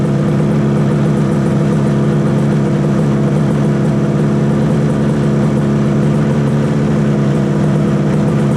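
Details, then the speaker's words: 1968 Yamaha YAS1C 125 two-stroke twin after timing check and carb synchronizing, both exhausts warming: crisp steady buzz from both cylinders at an even note, no stumbling, some rattles; response much better, running clean. "Satisfied that'll calm down after I take it out and ride it. I think this is sounding a lot better. The response is so much better."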